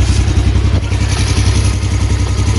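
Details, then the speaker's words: 2015 Yamaha Jupiter Z1 (2SU) idling before clutch and centrifugal clutch replacement, heard at the right-side engine case; fast steady metallic clatter, pointing to worn clutch housing; owner complains of a noisy engine and power slipping in gears 1–2 at pull-away. "Nah untuk mesin kanan samping kanan itu sudah bunyi"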